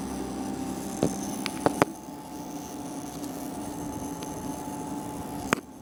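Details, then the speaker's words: MCP655 water pump in a series CPU liquid-cooling loop, recorded close up with the case side panel open: faint steady hum with a thin high-pitched whine and a few handling clicks; pump electrical whine, cause unknown. "I'm going to be showing you the sound that my pumps or my my one pump in in my series CPU Loop is making"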